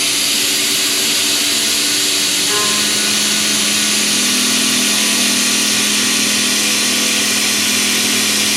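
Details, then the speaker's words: Long-reach end mill in a heat shrink holder side-milling: steady high spindle tone under an even hissing cut, no squeal or chatter; cutting as well as or better than a short end mill chucked to the shank. "I would argue that this is cutting just as well if not better than a super short endmill chucked in all the way up in the shank right to the cutter [Music] head"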